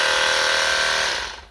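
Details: Cordless Mk2 rechargeable shears after DIY repair (loose part inside fixed with cable tie and glue; battery slightly low): steady high-pitched motor whine, even and unwavering, then a clean spin-down when switched off; shears run normally.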